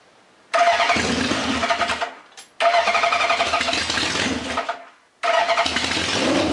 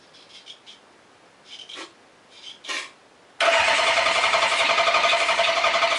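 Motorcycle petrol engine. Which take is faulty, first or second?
second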